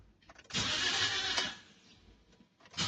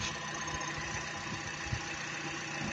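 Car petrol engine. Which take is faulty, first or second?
first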